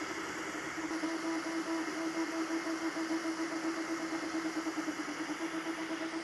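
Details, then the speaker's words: Anycubic Kobra 2 3D printer printing fast: steady loud airy drone with a fixed mid-pitched hum that doesn't change with the moves; the part cooling fan is very noisy. "I mean just listen to this thing it's a little noisy but at least it's fast"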